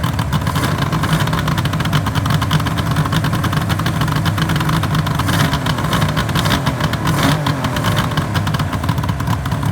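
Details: 1974 Suzuki GT750L water-cooled two-stroke triple, first run after a rebuild from parts: a busy, crackly idle with a steady beat and a few light throttle blips; it runs evenly.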